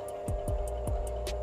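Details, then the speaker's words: Drill press (bor duduk) motor after replacing the worn, blown capacitor that left it only humming and unable to turn, running: steady, even hum, no growl or stalling; normal again. "normal kembali ya sudah normal kembali"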